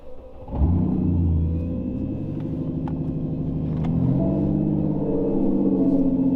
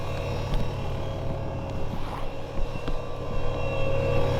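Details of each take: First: Ford Mustang S550 V6 with newly installed turbo kit, first start: engine catches and settles into fast, slightly hunting high idle rising near the end while trying to settle in. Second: Ford Mustang S550 V6 with new turbo kit, first run on new tune during data log: loud, steady electric whir over lumpy idle, unchanged with engine; turbo oil pump noisy but working.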